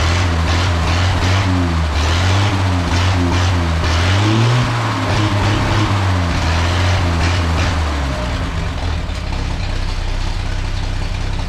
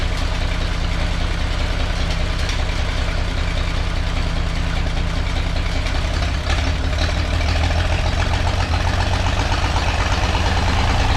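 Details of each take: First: Old straight-six petrol engine at idle after the exhaust leak repair and separating the touching plug wires. A deep, even burble and steady low rumble with no ticking or puffing; normal healthy idle. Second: Old engine idling after an exhaust leak repair, with a low, lumpy idle and dropped pulses. One cylinder misfires because two spark plug wires were touching each other.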